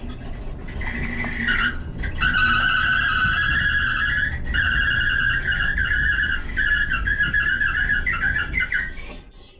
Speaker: squeaky well as you could hear that was pretty bad that screeching squealing noise was just about as bad as it gets with these dryers